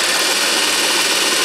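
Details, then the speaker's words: 1943 GenEmotor with 24 V DC motor after bearing service (seals removed, very thin oil, no bearing caps) and armature cleanup, no brush arcing, current draw down: steady even high whirr, bearings faintly audible; normal running. "And it's running away quite nicely there, fairly quiet. You can hear the bearings a little bit because the oil is very thin. And there's no caps on the bearings."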